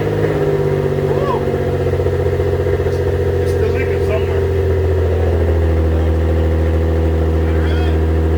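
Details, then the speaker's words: 2005 Infiniti G35, home-welded dual exhaust with two Borla mufflers and chrome tips replacing raspy HKS cat-back, restarted after loose flanges were tightened: deep steady burble with light revs, no rattles or ticking leaks; sounds tight. "dude i love that buildup it's mocked up you heard it"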